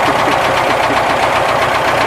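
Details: ZAZ 968 air-cooled engine idling after warm-up on 10W-40 G-Energy oil: fast, even light knocking keeping pace with engine speed, exact source not pinned down. Timing-gear knock suspected, not confirmed.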